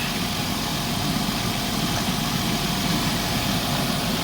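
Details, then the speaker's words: Chrysler Town and Country after head gasket replacement, started while coolant is added with the heater on: steady petrol idle with a faint constant hiss from a small vacuum leak caused by a kinked line; idle changes. "And then go ahead and add coolant as it's being started. You can hear like a little vacuum leak going on."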